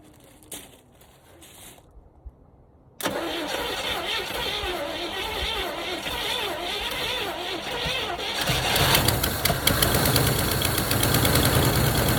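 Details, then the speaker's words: 1977 Chevy Camaro 305 V8 parked nearly 20 years, started with starting fluid and gas poured to fill the float bowl: starter cranks, engine catches into a rough idle, then dies; cause unclear. "thank you it's idling oh it died"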